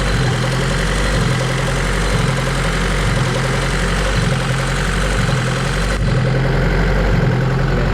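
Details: High-compression Honda D16Z6 build after valve lash adjustment, while timing is being set to 16 degrees on a newly loaded map: idle swells and sags about once a second in a steady surge that never settles, a hunting idle.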